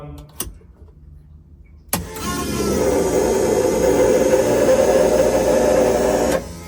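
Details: Nissan 200SX S13 drift build with 1UZ VVTi V8 swap, first start after fuel, oil, power steering and cooling systems done: starter whirs, engine catches and settles into a steady, fast, even run with throttle held; sounds healthy.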